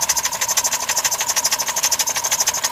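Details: 2005 Dodge Caravan, 3.8L RMP replacement engine about three years old, knocking the morning after a 750-mile-each-way trip, no overheating or oil loss, oil treatment added; sharp heavy metallic knock at idle, cause unconfirmed.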